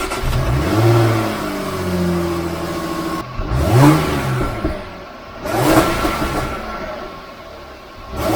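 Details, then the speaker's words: Supercharged Jaguar F-Type, stationary revving with the stock air filter before fitting a RAM Air induction kit: three clean blips, deep smooth exhaust note, supercharger not audible, no knock or misfire; sounds healthy. "so there you go that's what it sounds like before you can't even hear the supercharger"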